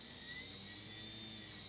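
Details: Small motor on a DIY diamond surfacing tool, driven at 13 V by a new PWM controller; thin steady high whine holding even pitch without sagging; keeps speed; normal running under load.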